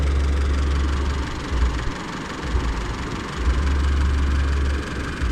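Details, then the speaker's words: Isuzu D-Max (older model) diesel, warm engine after hard hot-start fix with temperature sensor plug pushed back in: idle back to normal about 900 rpm (rose ~100 rpm when unplugged), low steady rumble, no knocking; runs smooth. "ตอนนี้ก็อยู่ที่900เหมือนเดิมนะครับปกติ[ปรบมือ]เครื่องยนต์เดินเรียบเหมือนเดิมนะครับผม"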